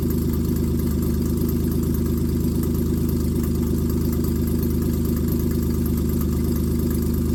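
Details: A 1995 Plymouth Voyager 3.0 V6 after the distributor was re-clocked to correct ignition timing. A steady, even idle with a loud, deep exhaust rumble and no misfires is heard, and it warms until the thermostat opens: normal idle.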